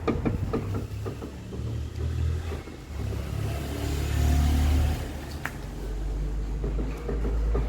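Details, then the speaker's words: VW Up! rocked side to side by hand: dull knocks from the front suspension, sounding as if the wheel were falling off, with the shock absorber new; the cause is a worn sway bar link with play. "quando eu balançar o veículo de um lado para o outro será bem perceptível o barulho reparem que o amortecedor é novo"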